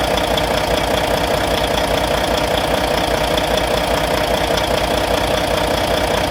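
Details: Volvo VNL D13 diesel idling after injector replacement: sharp, regular valvetrain-style tap about 150 a minute at the top end over a steady idle; lifter noise suspected, not confirmed.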